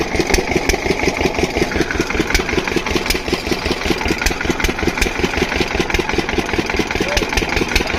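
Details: Diesel water-pump engine, after fixing the no-start caused by no fuel supply, gives an even, solid thump of about two and a half beats a second with no stumbles or knocks; running perfectly.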